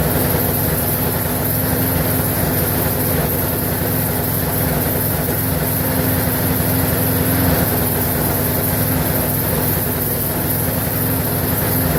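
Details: Briggs & Stratton 4.75hp engine, possibly on a Craftsman mower, that previously didn't run and reportedly died 10 minutes after being left, now repaired and run-tested, possibly past a minute; steady, even single-cylinder buzz with no surging or dying, normal running.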